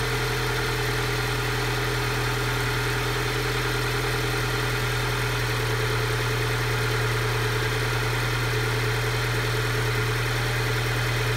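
Cold engine idling with a fast chug and a slightly uneven drone underneath: a rough cold-start idle, cause not evident.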